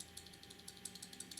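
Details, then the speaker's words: Armando Simoni Club Gladiatore Medio fountain pen shaken: light fast tinny clicks about six a second from the loose pocket clip rattling against the cap. "One is that the clip rattles a bit. Don't know if you can hear that."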